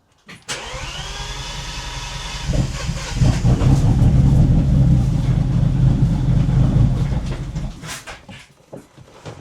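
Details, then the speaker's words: Bentley that had not started in eight years: a whirring spin-up, then rough uneven cranking with rattly clatter and a shattering-like noise, while non-petrol smoke comes from near the steering rack area where a small fire occurred earlier; the cause is unclear. "I hear a strange noise and I have some smoke coming in from here like something shattered. It's literally that noise is something shattered"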